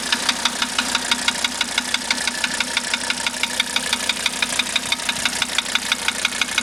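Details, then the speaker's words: 1985 Mercedes 300D diesel just after starter rebuild, valve adjustment and new glow plugs: hard, even tick about three times per second over a steady idle; engine knock, source not yet known. "But it's got this tip when it runs. Obviously, you can hear it."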